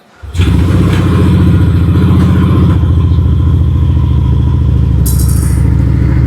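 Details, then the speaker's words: Yamaha NMAX V2 scooter just after a DIY coolant change, started for a planned 5-minute run to check for overheating: fires up at once and settles into a smooth, even idle with no misses or odd noises; seems okay. "Yan, mukhang okay naman siya mga boss."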